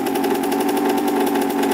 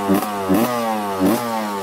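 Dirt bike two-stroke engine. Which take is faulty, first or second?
second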